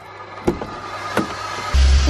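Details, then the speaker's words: BMW central locking cycling on its own: a couple of sharp clunks about a second apart, then a short motor buzz from the door lock actuators; turning the key a few times stops it. "the [ __ ] is that noise it's the central looking what is going on [ __ ] see Finn no doubt German engineering just turn the key a few times and it stops perfect sweet"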